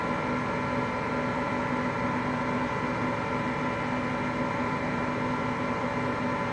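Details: Hotpoint Aqualtis washing machine, bearings just started to go today: steady continuous low roar with a faint hum throughout the spin, no knocking; drum bearing rumble.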